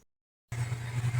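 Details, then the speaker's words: Mundial electric fan after replacing poor-quality generic bearings with original 608 ZZ sealed bearings, running at top speed with a steady low hum and soft air rush, no rubbing; normal operation. "Está funcionando aqui perfeitamente, como falei, queria mostrar, está aqui funcionando na última velocidade e o vento está muito bacana."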